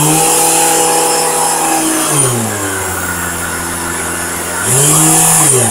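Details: Vacuum cleaner running with a rough rotational vibration, deep throbbing hum sweeping up and down like a revving car engine; owner suspects the ball bearing in the rotating ring is failing or has too much friction, possibly from dust.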